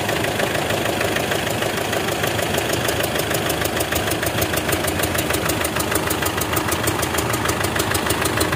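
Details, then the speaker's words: Mitsubishi Strada Triton diesel, about 2008, hard starting with a tak-tak engine noise: busy idle with a fast puffing tick about twice a second; heavy puffing and smoke from the oil filler. Blow-by suspected, likely from an injector, not confirmed. "Nah jadi disini kita lihat untuk bagian pengisian oli itu keluar ya suara tepuk bobot dan asapnya banyak"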